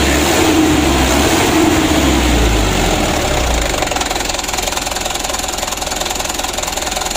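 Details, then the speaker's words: Mitsubishi Canter 136 PS HDL diesel, warmed up after injection pump plunger work: fast warm-up drops to a lumpy, uneven idle; pump delivery uneven, cylinder 3 gets too much fuel while another gets too little; adjustment unfinished. "yang satu sedikit-sedikit yang satu ini nomor 3 ini terlalu banyak jadi bisa juga dari kualitas ku"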